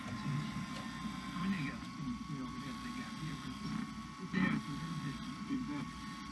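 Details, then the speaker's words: Sanyo VHR-H519 VCR, late 1990s or early 2000s, first tape inserted before cleaning: labouring motor hum with an uneven churning drag under a steady whine; transport straining, owner suspects too much back tension or parts needing to work in. "almost feels like there's a little bit too much back tension because it sounded like it was really struggling at first could just be that everything needs to work itself in"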